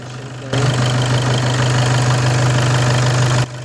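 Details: VW Passat B8 2.0 TDI EA288 (DFGA) diesel after repair, warm-up idle with coolant near 0 °C but cabin heat already flowing and coolant circulating: firm low steady hum, no clear knocking; normal warm-up idle.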